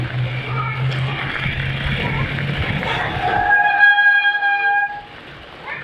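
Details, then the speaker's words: Oggi 7.3 mountain bike with Shimano Deore M6000 hydraulic disc brakes: rolling tyre noise, then a loud honking squeal as the rear brake bites; pads cleaned with slight improvement, rotor suspected oil-contaminated from a bad bleed. "fiz o processo ali melhorou um pouquinho mas não ficou 100% acho que o disco tá contaminado"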